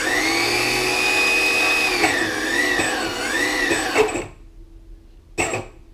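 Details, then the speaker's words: Electric skateboard with both ESC cables deliberately connected incorrectly: high motor whine swoops up and down unevenly then cuts out abruptly; erratic motor spin from miswired ESC cables. "So, that's weird. So, it was going crazy. Maybe I'll swap around the ESC, see what happens there."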